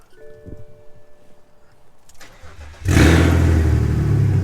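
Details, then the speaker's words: BMW with a newly installed M54B30 inline-six, first cold start since the swap: quiet, then the starter catches and it fires straight up into a steady, even fast idle; healthy cold start. "I haven't given you guys the cold start since I put the engine in so uh I'm going go ahead and do that right now for you guys"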